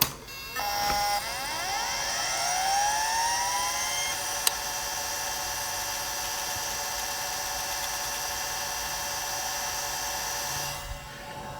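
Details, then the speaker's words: Conner CP3044 hard drive (Type 17) in a 1980s Chaplet Halikan LA-30A 286 laptop with 2 MB RAM: a click, then a steadily climbing whir settling into an even high whine; normal, healthy hard drive spin-up. "Let's hear that start one more time because the hard drive sound is glorious."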